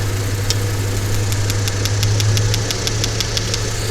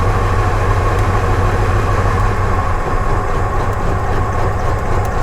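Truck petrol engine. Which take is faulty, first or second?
second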